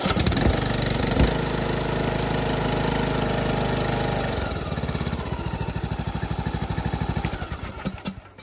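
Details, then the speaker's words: John Deere LA125 mower, Briggs & Stratton 21 hp engine, 282 hours, after new OEM Briggs carburetor, fuel filter, NGK plug, air filter, adjusted valves and oil change: steady, even single-cylinder beat for about four seconds, then winds down to a stop; now runs perfectly. "uh but you know there's only so much you can do but at least it runs perfect now"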